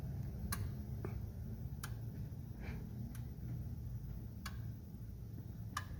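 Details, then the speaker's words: 2004 Ford 6.0L Powerstroke diesel with rough running: scanner electrical injector self-test after an injector is installed and plugged in, before oil rail goes on; sharp evenly spaced clicks about every 1.3 s as each of eight injectors fires, all working. "as soon as you get your uh thicker mounted and um plugged in and whatnot just go ahead and run the uh electrical self test"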